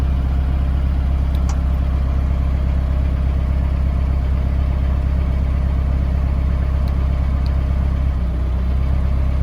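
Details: Mahindra Roxor turbo diesel cold-weather idle on a low-fuel warm-up tune before switching to the P2 tune: deep, steady diesel clatter at a low, even idle with no misses or knocks; healthy cold engine warming up.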